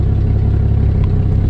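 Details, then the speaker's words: 1988 Jeep XJ Cherokee after a temporary exhaust pipe repair, sitting at idle; steady low idle, much quieter than before, with a faint ticking puff underneath from the cracked exhaust manifold still leaking slightly. "oh that's good all right yeah now she's sitting here burning like a kitten much quieter if you watch the first video you can see how loud it was"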